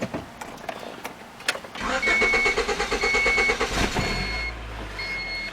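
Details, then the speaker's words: 1993 Honda Accord after starter replacement with a rebuilt solenoid and new battery cable terminals: the starter spins briskly for about two seconds, then the engine fires and drops to a smooth idle; healthy crank and start. "And that's that. Starter's fixed. Like I said, I just got the solenoid changed on it. I guess it had an issue with the solenoid."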